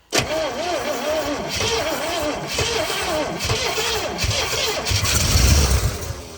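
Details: 1970 Oldsmobile Toronado 455 that sat for years in a construction yard, with the choke held by screwdriver and the fuel bulb primed: the starter churns with a regular compression rise and fall but never fires.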